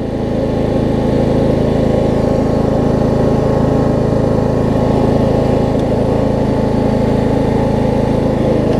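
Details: Craftsman LT3000 riding mower after deck and brake work; steady, even engine drone at constant speed with no knocks or misses, running normally.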